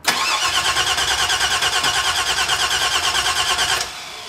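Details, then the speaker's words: 1970 Cutlass with 6.0 LS swap, 80E, stage 2 cam, base tune: steady starter churn about eight beats a second for nearly four seconds, never catching; cranks but won't start, though starts with quarter throttle. "i'm trying to figure out why it's not starting right now if i put the gas a quarter down it will start"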